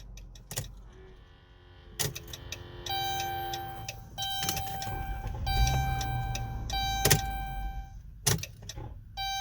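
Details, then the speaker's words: Chrysler/Dodge Grand Caravan that sometimes won't start: sharp single clicks a few seconds apart over door chimes, with no cranking; the click with power reaching the starter points to a faulty starter. "yeah if you get in the click that's how we diagnose starters we getting it click we're like well damn it must be the starter because the power is getting down now"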